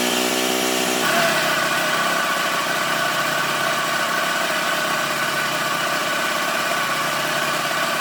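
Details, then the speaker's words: 1987 Toro Pro Line walk-behind mower, single-cylinder engine during carburetor adjustment: small buzz jumps up in speed, then holds a busy, slightly uneven pace; appears to fire back through the intake/carb, owner suspects valve adjustment needed. "I'm starting to try to adjust it but it looks like it's firing back through the uh intake through the carb"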